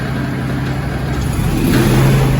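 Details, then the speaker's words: Zero-turn mower (Grasshopper or Toro) that sat about 4 months, no start likely from stale fuel in the carburetor; after carb/brake cleaner sprayed into the intake as external fuel, the small engine catches into a steady low drone, smoothly idling: normal idle. "Uh-oh, we got something. Got good idle."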